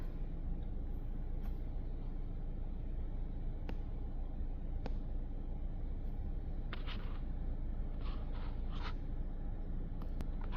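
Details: 2013 Mazda CX-5 idling after a no-start was traced to blown fuse #22 (C/U IG1, 15 A); it now starts right up. Steady, even low idle with no knocks, misses or surges, only faint background clicks. Normal idle.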